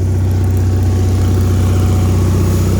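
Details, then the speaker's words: Bolens HT-23 garden tractor at idle while warming up, charging, after earlier flooding and exhaust fire: small single thumps at a steady, even idle with a firm low drone, no misses or knocks; sounds good, normal running. "just let her get nice and toasty warm she's charging she sounds good"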